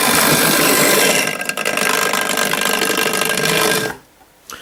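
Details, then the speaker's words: Hornby Dublo LNER N2 tank locomotive motor running on track: a harsh, loud whirring buzz much noisier than the other engines, before cutting out abruptly. The locomotive is to be bench-checked; cause unconfirmed. "that's a noisy Beast isn't it I think I better put that on the bench and see if we can't make that run just a little quieter"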